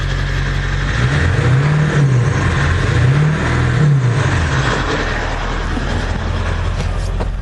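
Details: 1999 Ford F-350 Powerstroke diesel after an engine swap, 4-inch exhaust, still some bugs to work out: deep diesel rumble rising through a couple of throttle blips then settling to a steady, even idle; runs healthy.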